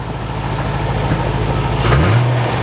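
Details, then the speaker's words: Barn-find C4 Corvette ZR-1 after an ECM repair, with coolant slightly low from partial draining: a deep, even, steady idle with no misses, smooth and healthy. "that sounds that sounds really smooth yeah peachy"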